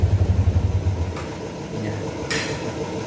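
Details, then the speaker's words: Yamaha Vixion old model (engine code 3C1), which stalled after a steam wash, restarted after the fix: quick even pulsing, then RPM rises into a steady, smooth idle with no stumbling; the engine now runs normally. "nah ini motor sudah nyala teman-teman RPM naik ya"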